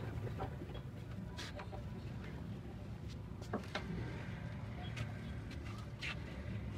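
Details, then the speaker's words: Honda CD70 motorcycle engine that made knocking "dug dug" noise on morning starts, after repair: quiet, even low putter at steady idle, knocking and rattle gone, engine sounds healthy. "दो पहले आपने इसम देखा कितना डग duck का आवाज था अब बिल्कुल डग डक का आवाज भी खत्म हो गया और शरर का आवाज खत्म हो गया है"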